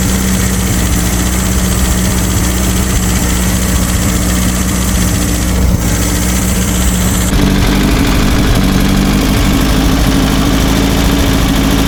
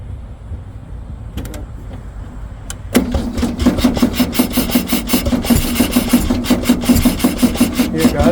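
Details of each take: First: Abandoned air-cooled VW Baja Bug race car just revived after a timing adjustment, idling with a steady, even low rumble and no knocks or misses while warming up. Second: Abandoned VW Beetle Baja Bug off-road race car that sat for years, cranking steadily at about 160 strokes a minute but never catching. The suspected cause is a dead battery.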